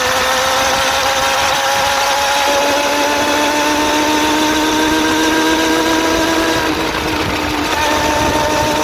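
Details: Suzuki GSX-R400 (RL) motorcycle engine at even idle: steady sharp, fast light ticking with a faint slightly rising whine; owner suspects valve shims or timing chain, cause unknown.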